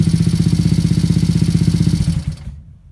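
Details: Yamaha SR250 single-cylinder bike, build with new piston and thinner copper head gasket, first start: thumps about three firings a second with sharp puffing edge, then shuts off; suspected exhaust or head gasket leak, engine later torn down for O-ringing.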